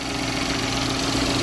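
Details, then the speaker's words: 2012 Chevy Equinox/Terrain after engine install, P0011 pending, traced to intake and exhaust camshaft actuator connectors being swapped: now a steady, even idle with constant pitch and no misses, running great. "well guys you're gonna laugh at me just like you should step on a troubleshooting always assume you're the problem which i was running great now"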